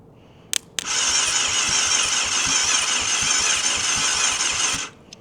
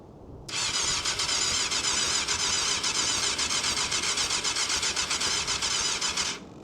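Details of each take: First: Abandoned 1998 Yamaha YZF600R Thundercat, sitting since 2013, starter motor powered directly from the battery: a steady high whir for about four seconds, the engine spinning over freely without catching. Not seized. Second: 1998 Yamaha YZF600R Thundercat, sat since 2013: starter churns steadily about four pulses a second for six seconds, nearly catches but never fires; carbs suspected of starving it, rev counter fluctuating, possibly a fault code.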